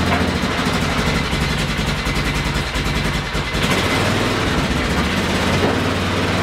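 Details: 2000 Polaris 6x6 ATV after repairs to the CDI, brakes, carburetor, fuel lines, tank, kill switch, wiring, bendix gear and starter relay. The single-cylinder engine runs with an even, steady beat and holds speed without stumbling; normal running.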